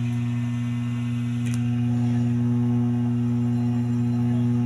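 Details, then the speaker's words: DB Audio integrated amplifier after replacing four transistors for DC-out fault: steady low mains buzz with higher overtone at constant level while audio works; hum traced to a lifted ground pin on the tone board. "Naririnig nyo ba mga sir yung ano nya, yung humming nya? Pero may audio tayo mga sir."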